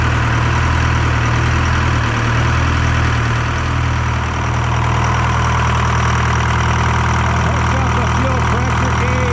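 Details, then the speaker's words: Detroit 4-53T two-stroke diesel with 7A77 injectors refitted in place of failed 9G90s and loose fuel suction hose clamp replaced; steady, even low drone, smooth beat, no knocks or misses; normal idle. "well there you go guys uh 787 78 77s are back in it's running like a dream again"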